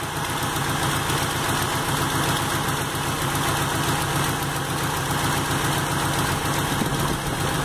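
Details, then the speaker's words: 1989 Chevrolet with Toyota engine swap (Chevota), petrol engine at steady idle: faint, loosely rhythmic chugging from a small exhaust leak, engine otherwise responds really well to throttle. "anyway you can hear a little chugging from the exhaust leak that's in there but responds really well"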